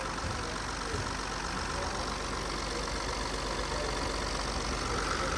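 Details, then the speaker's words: BMW 116d diesel restarted after oil change with all caps closed, sound changing once the pump draws oil; even steady idle with soft regular clatter, no rattle or timing chain slap; healthy. "Hatta şöyle bir şey oluyor ilk anda ses değişmiyor sonra pompa çalışıp yağı çektiği anda ses farklılığı"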